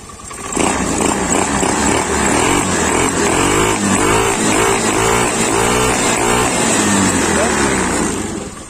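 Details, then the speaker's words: Honda Beat FI scooter, screw at 1.5 turns: throttle blips rise cleanly and settle back to steady idle, no misfire, knock or hesitation; pulls normally. "untuk tarikannya normal. Gak ada kendala apapun. Normal."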